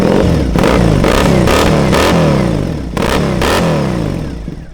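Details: Triumph Bonneville SE twin (listed 2010, also called 2012), fuel-injected, about 4,518 miles: catches at once and answers quick throttle blips with a crisp, even bark that settles back cleanly; normal start and revving.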